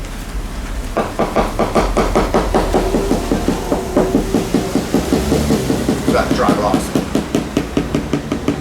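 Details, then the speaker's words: Leopard 45 catamaran hull, hammer tap test over a large, previously found dry area: steady taps two to three a second with a dull hollow buzz instead of a solid click. Significant dry, poorly bonded laminate. "side to side for me you can hear the glass verting inside so it's almost back to here almost forward to here I like it's a significant dry P"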